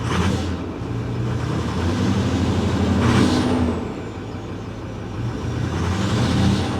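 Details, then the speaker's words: Ford F350 Power Stroke diesel 4x4 salvage-auction truck, low fuel, revved with a little throttle: rough, ragged, uneven beat that does not clear up under throttle; bad misfire, though the check engine light stays off. "she's misfiring hear that yeah she's misfiring pretty bad let's see if it clears up when we give it a little throttle"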